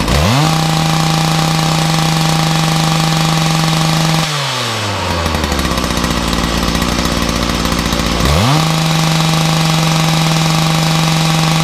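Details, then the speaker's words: Makita DPC6430 two-stroke disc cutter, cold start on choke with decompression after filters refitted (may want a small tweak): strong even scream, drops to burbling idle, snaps cleanly back to full revs; normal running. "Oh, decompression. And already it's firing better."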